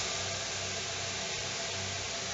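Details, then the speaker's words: Homemade evaporative "redneck" air cooler with an outside pump, fan switched on: steady, even rush of air over a soft fan hum, with no rattles or rubbing. It blows a cold breeze and the fan runs normally. "now you can see that going right now I mean you can hear it's a what's a cold breeze coming out there"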